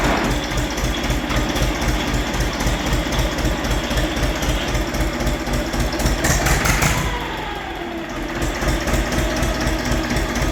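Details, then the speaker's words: Diesel machine idling: a dry crackling rattle riding on an even beat near four a second, from the dynamo. Its bearings are broken and the pulley has play, and it is charging poorly. "No i ładowanie prądnica jest do dupy ona aż się telepie tam słychać jak łożyska się rozwaliły no luz na kole grzechotka to jest"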